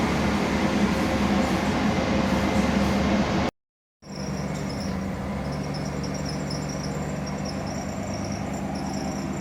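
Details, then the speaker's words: 1990 Pontiac Firebird Trans Am at idle with air bubbles in the cooling system: over a steady idle rumble, a thin high squeak and gurgle come and go as trapped air passes through the water pump. "And to give you an idea of what it sounds like with some air bubbles in the system, check out these clips."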